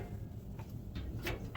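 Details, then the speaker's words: Washer that won't start: with the door shut and start pressed, there are a few light clicks about a third of a second apart but no solid latching clunk. The door lock is faulty and needs replacing. "basically you shut the door you hit start if it goes click click but it doesn't"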